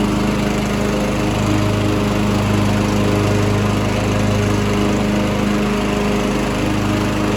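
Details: Mastercraft hydrostatic 16 hp, 42-inch lawn tractor with Briggs & Stratton Intek engine, starts instantly with a little gas: strong steady single-cylinder drone with even low beat, no misses or knocks; normal healthy running.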